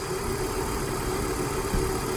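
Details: 1997 Volvo 850 at an even, steady idle with no ticking or tapping on top, still waiting for the suspected hydraulic lifter tap to appear. It sounds healthy; the oil pressure light goes out immediately at start and the tapping normally stops after hard driving.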